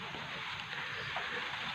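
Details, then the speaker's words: Polytron Slim TV with normal picture but dense, steady crackling hiss straight into the speaker; picture sometimes goes dark by itself; caused by a failing flyback transformer. "Gejalanya ini ada gambar biasa cuman ada gemercik. Ada suara menderik yang langsung ke speaker masuk ke power ya ke L speaker."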